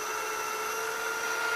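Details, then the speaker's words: Funai FHC-1200 4-head hi-fi stereo VCR (Shintom-built chassis) in fast forward after new belts fitted: steady high-pitched squeal with several fixed tones over the transport whir; owner says the motor needs oil, suspected dry drive motor. "So now I'm gonna stop. Fast forward. I need to somehow shut that motor up."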